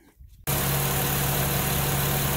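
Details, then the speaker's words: Acura TL/MDX after replacing power steering seals and fluid: engine catches and settles into a steady idle with no whine when turning; power steering pump now quiet and healthy. "All right, guys, so as you can see, that's all it needed. Noise is gone."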